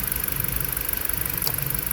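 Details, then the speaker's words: Rough, pulsing idle on a four-cylinder petrol engine after a newly installed PCM; unplugging cylinder one's coil changes nothing, so cylinder one is dead, suspected coil or spark plug. "no change guys so my problem the car still missing is it's missing the same with one plugged in or not"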